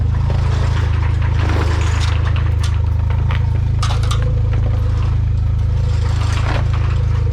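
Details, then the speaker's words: Car with a 276 cam, first start on a new MRP 3-inch aluminum MAF housing with ECU fuel trims reset, basically warmed up: a fast, uneven idle pulse that hesitates and bogs on throttle blips instead of revving cleanly. Stumble on throttle blip. "all right so it is basically warmed up ah let's blip the throttle straight up not happy"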